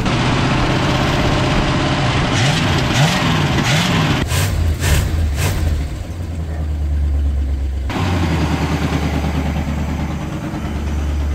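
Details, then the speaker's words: 1967 Cadillac Deville carbureted V8, started after sitting 10–15 years: a deep burble through a few throttle blips, then a steady, even idle firing on all eight. Slightly clanky up top, no smoke from the tailpipe, healthy motor. "definitely hitting all eight that's what I'm talking about that sounds like a healthy motor right there"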